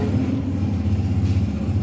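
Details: Toyota Vitz 2007 CVT with starting trouble: uneven, stumbling low idle with irregular missed beats and lumpy pulses, engine not holding steady rhythm; engine misfire.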